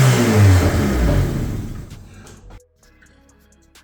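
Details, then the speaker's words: Abandoned high-mileage Honda CRX after timing belt work and reassembly: starter churns at almost three beats a second, never catches, then dies away; timing ruled out, fuel suspected; cause was connectors left unplugged. "that didn't go well. I know it's not the timing because we already started it after the timing. I just got to go through, recheck everything in there, and see what's going on, see why it's not turning on."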